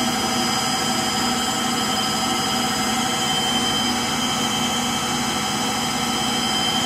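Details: Frigidaire Gallery front-load washer GLTF1670AS1 on final spin: a steady loud roar with a thin high squeal on top and no rhythm, from worn motor bearings.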